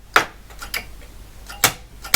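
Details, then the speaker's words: Mimi 801 unit being restored, head carriage with one rubber end stop missing, unit upside down which exaggerates the noise: sharp uneven metallic clacks, four in about two seconds, as the carriage hits its end metal to metal; missing rubber stop. "so if I recall one of these had a missing stop so it's that one these are upside down so it makes this sound worse than it actually is but there should be a stop so you don't get metal to metal contact"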